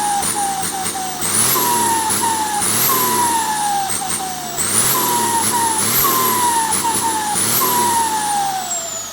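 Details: Komatsu T04 turbo (AR60) being bench-tested before sale: repeated revs bring a rising whistle that climbs with each blip and falls as revs drop; healthy turbo spooling.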